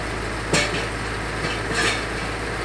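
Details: Petrol engine, Voyage, after a new ignition coil was fitted for misfire: steady, even low idle hum with no stumbles or missed beats; normal idle.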